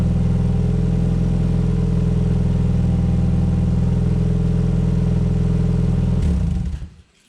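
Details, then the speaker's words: Exocet with a new fabricated stainless 2.5-inch slant-tip tailpipe extending past the bumper, after fender-bender repair: deep, loud, even straight-pipe roar and steady throb, then shut-off; sounds as before but no longer from underneath the car, no leaks or rattles. "It sounds exactly like it did straight piped, but now it doesn't sound like it's coming out from underneath the car, which is great."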